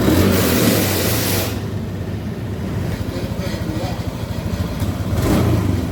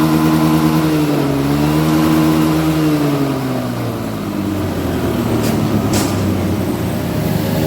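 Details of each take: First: Honda Beat Street before repair, fuel pump pressure under 30 psi (spec 40–50 psi): revs climb briefly, then sag into choppy uneven pulsing as throttle is held. Bogging from low fuel pressure. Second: Honda Beat Street after fuel pump repair, pressure now 40 psi (spec 40–50 psi; earlier 30 psi caused bogging): the engine revs up and down cleanly, following the throttle without stumbling or bogging. It now runs normally.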